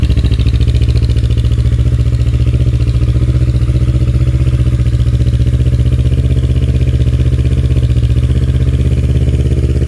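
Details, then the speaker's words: Kawasaki KLE 650 A7 twin, auction bike: very loud deep booming idle with steady throb; aftermarket exhaust far too loud because it lacks a rear baffle and needs one fitted. "It is mental loud and it does need a baffle on the back, but this is a well-known exhaust, so I should be able to get one easily enough."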